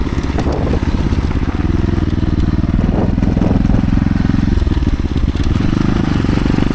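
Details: Bike with rear wheel bound up on the brake caliper or axle, adding heavy resistance during gearing-change testing; low labored thumping engine bogs and lugs near stalling most of the ride.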